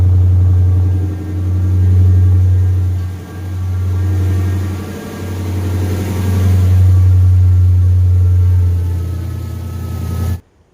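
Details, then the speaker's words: 2015 Dodge Charger R/T 5.7 Hemi with a 392/6.4 intake manifold and 6.4 cam, tuned, on an early-morning cold start. A deep, lumpy V8 rumble swells and dips as it settles into a choppy cam idle, running fine. "So let's go ahead and fire it up. We'll do a cold start. Yeah, it's kind of earlier in the morning, so. Alright, cold start with the 6.4 manifold and 6.4 cam."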